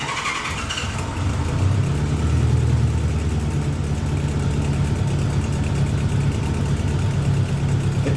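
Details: 1986 Honda GL1200 Interstate Goldwing at about 59,783 miles, started part-warm (ridden earlier) with no choke: catches within a second, then settles to a steady, even low idle with no misses or knocks; healthy start and idle.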